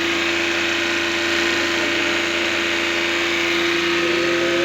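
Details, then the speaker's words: Engine that was hard starting with no power, after a third mechanic found and corrected the timing: even, steady drone with constant hum and no misses, stumbles or knocks; runs smoothly now. "so wala ang timing problema Yanandar na"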